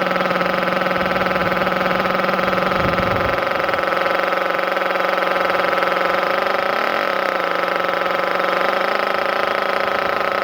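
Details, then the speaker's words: Thunder Tiger EB4 S3 nitro RC car on its stock exhaust, started in cold weather after a drop of fuel in the carb: steady, high buzzing idle with even pitch and no misses or surges. It runs healthily and is much quieter than the S2. "And you can already hear how much quieter this one is compared to the S2."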